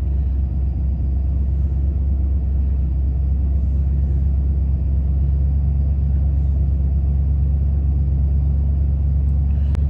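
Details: 1993 Ford F150 with check engine light, started with diagnostic connector bridged to flash codes: deep uneven idle, loping irregular pulse about three beats a second, "idling like garbage"; rough running, cause not yet pinned down.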